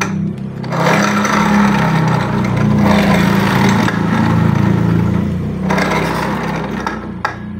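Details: 2015-2016 Honda Beat FI ESP scooter with customer complaint of rough CVT noise: engine drone with a coarse gritty rumble about four times a second; rear CVT pulley shaft wobbles badly from a worn final-drive (gear box) bearing, rear wheel also wobbly.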